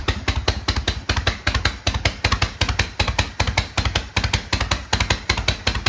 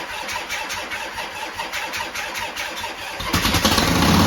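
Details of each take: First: 1972 Harley-Davidson Sportster, first start after 32 years, after new starter, solenoid, regulator and wiring repair, cold: steady lumpy V-twin beat about two and a half pulses a second, holding idle; healthy. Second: 1972 Harley-Davidson Sportster first start after sitting 32 years, new starter, solenoid, regulator and wiring: starter cranks, V-twin catches and races to a harsh, fast idle because the throttle cable was hung up inside its sleeve.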